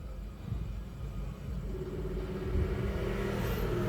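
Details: Mitsubishi Mirage G4 petrol engine with DTC for cylinder 1 misfire: rough, uneven idle rumble with an irregular beat.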